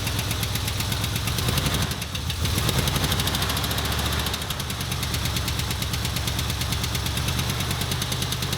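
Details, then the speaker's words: 1977 Ford F250 idling roughly right after the distributor was installed at TDC, timing around 10–15°. A fast, loud tick tracks engine speed, new since the work and suspected to be a lifter, unconfirmed. "Boy, I don't like that. That is a like lifter tick to the max, dude. Jiminy Christmas, that's loud."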